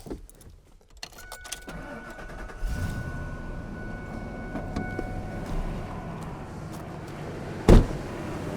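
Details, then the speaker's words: Truck with a dead battery, on its third jump start from a GB jump pack: keys jingle, a short crank, then the engine catches and settles into a steady low rumble; a clean start. "so there we have it three times I jump started the truck um I couldn't be more happy"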